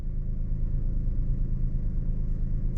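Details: 2021 Suzuki Alto VXR/VXL 660cc three-cylinder at idle after start: smooth, even low rumble with no knocks or ticks; healthy engine.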